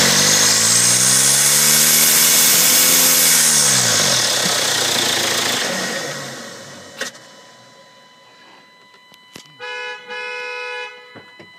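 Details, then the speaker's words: Turbocharged car engine started with the air filter removed. A loud high-pitched turbo whistle and hiss swell with revs, then wind down at shutdown. The turbo shaft has heavy axial and horizontal play, it is pushing oil, and the car smokes. "у меня вал болтается и горизонтально намного больше вот и вертикально там может быть лив нормальный но он по оси ходит то есть туда-сюда ходит очень сильно погнала короче масло у меня турбина вот и начался свист"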